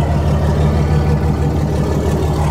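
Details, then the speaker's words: Old Kenworth T-800 semi with a Cummins diesel, parked 7 years and not turned over: a deep, even diesel clatter at steady idle with no misses or knocks. Normal running. "no way. There's no way that cranked up like that. Wow. These old Cummins are just insane."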